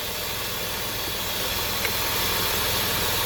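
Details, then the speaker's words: 3.7 V6 with P0507 high idle and P0456 small EVAP leak codes, under hood at idle: steady airy vacuum-leak hiss over low even idle. "y'all hear that I can actually hear I hear that vacuum leak let's check this guy"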